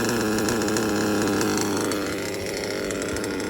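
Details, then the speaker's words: LRP 32x AMR modded nitro off-road engine during break-in, tank nine, high-speed needle set too lean; high raspy scream sags and bogs then struggles back; fix is a quarter turn back to the last good setting. "so just know i went all the way too lame for the engine so the engine bogged down and you saw that"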